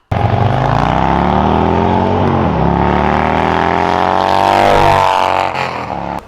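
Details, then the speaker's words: 2021 Harley-Davidson Road Glide Special with a full Tab Performance exhaust, 2-into-2 head pipes and 4.5-inch slip-ons with zombie baffles: deep, loping V-twin burble climbing cleanly through throttle blips. A normal, healthy exhaust note. "that completes the entire tab performance exhaust system with those 212 headpipes and these 4.5 bams with the zombie baffles awesome sound and I'm going to let you listen to those right"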